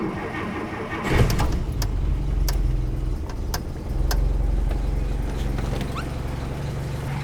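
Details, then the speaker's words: 1954 Plymouth Savoy, carbureted six on dual 6-volt batteries: short crank of one or two turns, fires at once and settles into a steady, even low idle; normal start. "it usually turns one turn sometimes two turn and it fires right up every single time"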